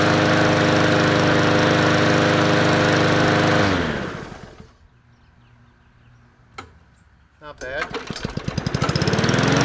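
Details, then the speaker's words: MTD Yard Machines 20-inch push mower with Powermore engine, bought as a non-runner, after adding oil: runs smoothly with an even beat and no knock, shuts off, then restarts and winds up cleanly. Sounds healthy. "all right well it doesn't sound bad it's not doing a knock"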